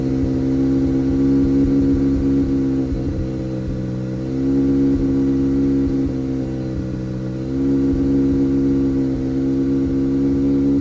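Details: 2018 Audi A3 8V 2.0 TFSI petrol engine idles with an uneven, stumbling beat and brief dips in its hum; misfire at idle and under load, misfire counter, fuel trims and fuel pump values checked in VCDS.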